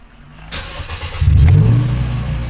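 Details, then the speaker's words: 2016 Toyota Vios with automatic transmission in park, started before an engine bay wash: a clean crank, then it catches quickly into a strong, even idle, with the check engine light going off after starting. Normal start. "so walang check engine mga kahimas, no? And after natin mag engine wash, kailangan ganyan pa rin yung mangyari."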